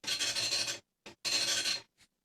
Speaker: Hit Control P in the directory while the printer is connected and hit enter. And you can clearly hear it running in the background.